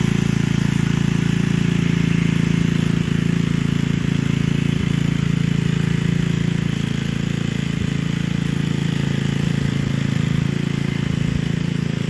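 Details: Gilson rear-tine tiller, a junkyard find from 4–5 years back, test run after cleaning dirt out of the sticky recoil. Steady low single-cylinder chug at a constant beat while working soil. Sounds healthy and strong. A fuel leak was noted at the tank/carburetor seam.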